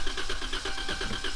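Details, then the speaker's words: Decommissioned police car with blown engine and camshaft position sensor codes on both banks: even cranking about nine compression pulses a second, never fires; seems to have compression, owners unsure if fuel or spark lacking. "it turns over it sounds like it's got compression but it's just not turning on or it's not getting fuel or something"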